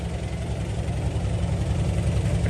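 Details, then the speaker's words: 2001/2002 Toyota Tacoma 3.4 V6 automatic at idle: deep, lopsided shaking idle stumbling unevenly with heavy smoke, like a dead-cylinder misfire; no check-engine light; valve first suspected, now doubted. Cause unconfirmed. "como pueden ver la camioneta tiene un tembeleque y un ruido extraño y avienta bastante"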